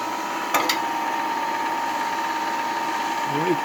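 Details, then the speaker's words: Homemade electric blower, newly built and wired, for forcing air into an evaporator fire, gives a steady mid-pitched motor hum and airflow rush after a couple of start clicks; running normally. "And it's plugged in, it's working. That's really blowing air there."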